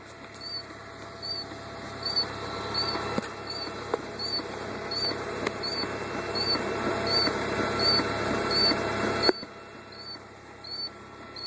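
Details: 2000 Volvo V40 1.9T just after a cold start: high, chirpy squeaks repeat one to two per second over the running engine.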